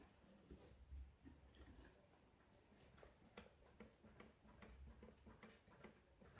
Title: Ccdb inline fail? Knocking noise